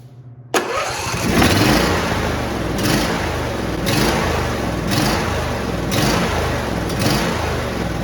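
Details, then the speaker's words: John Deere D170 lawn tractor, 25 hp V-twin with a twin-barrel carburetor: it catches, then idles unevenly, sputtering, surging and stumbling about once a second; idle then immediately dies. "hey everybody uh this is a uh John Deer d170 with the 25 horsepower v twin has the twin barrel carburetor and the uh it's sputtering so I'm actually going to show you guys an example of uh what's happening"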